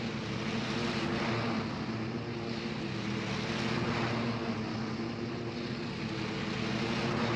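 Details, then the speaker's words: John Deere L120 lawn tractor with 48-inch deck after deck belt replacement: steady engine drone with the deck whirring smoothly under load, no slapping or squeal; new belt runs smooth, even cut. "the new belt is running smooth and it's a nicer even cut I'm satisfied with these results"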